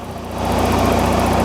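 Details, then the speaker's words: 1991 SAAB 9000 Classic Turbo CC, 2.3-litre four-cylinder turbo, automatic, about 223,000 km, back on the road after 5 years in a garage, after a few blips: steady, even idle with a smooth regular pulse, no knocks or misses; normal idle. "year old car the motor is purring sounds good"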